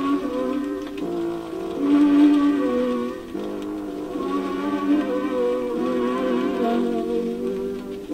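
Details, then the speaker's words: Seabreeze Model 968 record player playing a record whose groove band sits off center. Music pitch sags and rises each turn. The wow comes from the off-center record, not the platter speed. "So the wow is because the record is off center, and even though you know, the speed of the platter is the same, as the record goes off center, when it's farther out here, more of the record passes under the needle in a given period of time than further inside"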